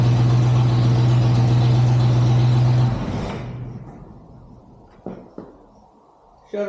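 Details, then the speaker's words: 1963 Chevrolet C20 with 394 Oldsmobile V8, first run since 1998: deep even V8 rumble at steady idle with no misfire or knock before switch-off; normal idle. "I'm surprised first crank it fired up woo that is exciting"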